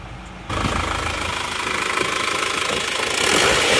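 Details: Isuzu Panther diesel just rebuilt with new liners and new original rings, warm at working temperature: even clatter at steady idle, no irregular knocks or huffing; no smoke from dipstick, oil filler cap fine. Healthy-running engine.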